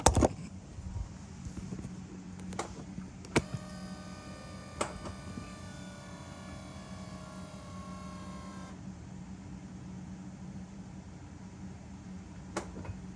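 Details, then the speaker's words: BMW E60/E63 M5/M6 SMG hydraulic pump during the INPA bleed after a CHF-11S top-off: low steady hum with sharp clicks and a brief rising whir as gears shift. Pressure is building normally, unlike the previous malfunctioning pump. "All right, so now it looks like it's switching gears. You can hear it. So that's a good noise. We didn't hear that when our other SMG pump was messing up."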